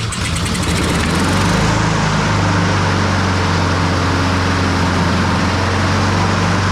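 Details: Honda push mower that sat a year and reportedly wouldn't crank, run on a cool 55-degree day to warm the oil before an oil change. Its single-cylinder engine catches and settles into a steady, even drone with no misses or surging.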